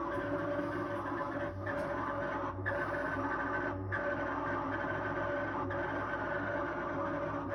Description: This how the fridge usually sounds when malfunctioning.